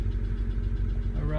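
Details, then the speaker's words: BMW 135i E82 N54 after engine rebuild, being troubleshot for a P0306 misfire: smooth, even low rumble at steady idle with no stumble or miss; runs like brand-new. "let's go try this that works Brian like brand-new"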